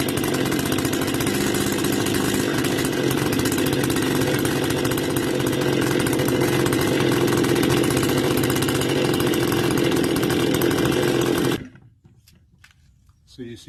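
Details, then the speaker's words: Stihl FS280 brush cutter, cold: loud, even two-stroke running about eleven seconds after opening the choke, then cuts out abruptly. Spark present, muffler modified, air filter clean, no air leak; also fails to start hot; cause still being diagnosed. "what you're going to notice is it gives a kick start but it does not maintain its operation cycle stay running"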